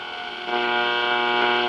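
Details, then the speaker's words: Vintage Philips Bakelite shortwave tube radio, AM band: steady buzzy hum with stacked tones and hiss over the station; interference from nearby plasma TVs. "uh there's a plasma tv running that's what's causing all that noise"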